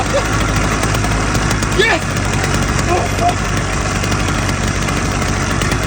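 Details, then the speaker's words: Restored motorized-bike two-stroke moped after a clutch rebuild, new spark plug and other repairs: it fires on about the third attempt and holds a rough but steady idle without stalling or hunting. It runs fine after the work. "And just like that, on the third try of the day, at about the third attempt starting it, it came to life."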